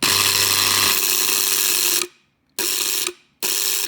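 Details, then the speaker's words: Antenna rotator with the bottom plate off: motor whirs about two seconds, then two short bursts with clean stops as the brake pin on the working side retracts freely at power-on; normal brake release, unlike the stuck other side. "see on this side if I turn the power on you'll see that pin retract"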